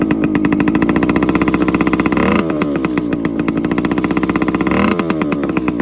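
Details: TC125 two-stroke dirt bike after carb clean, new fuel line with filter and plug swap: crisp ring-ding, clean blips up and back, even firing and steady idle; running healthy.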